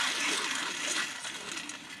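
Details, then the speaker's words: Removed Duramax truck alternator spun by hand: gritty metallic rattle coasting down within two seconds, matching the noise heard in the truck; worn alternator bearing. "I know the part store will take this as a core, so now that I got it out, you can hear exactly what I was hearing in the truck when it first started."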